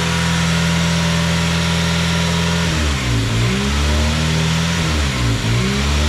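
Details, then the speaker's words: 2002 Honda Civic EP3 petrol engine idle surges high and low, revs rising and falling about every second; fixed by cleaning the throttle body and the idle air control valve. "because the car has a high and low surge when it idles I'll try to start it up for it so you hear it"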